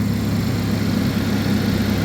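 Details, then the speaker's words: 2011 GMC Terrain or Chevy Traverse with a recurring P0341 cam code despite new phaser solenoids and cam sensors, idling cold: a smooth, even low rumble with a steady beat and no misses, knocks or ticks. The check engine light is on, but it runs great cold. "all right like I said she's purring"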